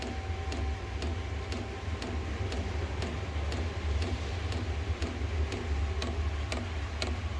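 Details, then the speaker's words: Cheap Chinese diesel heater for a shed, burner lit and output air warming up: crisp fuel-pump ticks about twice a second over a low steady burner hum; normal running. "and this is I can hear it burning now you can smell it as well of course once it starts burning and the air coming out of it now is definitely getting warmer"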